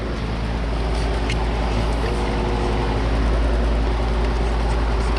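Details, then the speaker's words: Carrier AC unit, no-cooling call: condenser fan whooshes steadily while a low hum rises and never catches; compressor trying to start and failing, technician suspects a bad capacitor. "don't know if you heard that, but you can hear the compressor trying to start."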